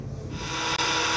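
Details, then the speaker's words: 2014 Honda Accord 2.4 L running: loud, rough grinding hiss from the belt drive; a stethoscope ruled out the alternator and fan, and it was traced to the worn tensioner pulley bearing, which was replaced. "the car having issue with the uh either the alternator making noise or the tensioners making noise so when the car is running it makes a really loud grinding noise"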